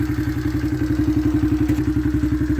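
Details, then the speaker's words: Honda CRF70F with a new aftermarket (eBay) top end, restored: steady single-cylinder putt at about seven or eight beats a second, even and unbroken; normal idle. "it'll sit in idle it'll just sit and idle there in the parade in shingletown"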